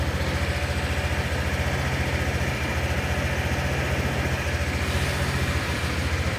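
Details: Fuel-injected Honda motorcycle after resetting the ECU fault codes with an SCS jumper: steady single-cylinder putter at idle, even and settled with no stumbling; idles normally.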